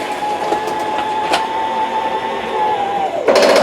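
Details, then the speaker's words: 2021 Columbus 298RLC RV bed slide-out operated in very cold weather: steady motor whine, then a rapid fluttering ratchet as the slide hits its stop and the clutch slips; normal end-of-travel, release the button. "When you hear that ratcheting sound, you just take your finger off the button."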